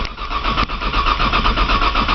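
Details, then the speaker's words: Cold 1995 Nissan Maxima, 210,000 miles, push-button start, in snow; always slow to start cold, lightly fluttering the gas pedal helps: steady starter churn, roughly four or five compression pulses a second, no firing. Long crank, no start when cold. "this thing takes forever to crank maybe somebody on the internet can um tell me why it's so hard to crank when it's cold"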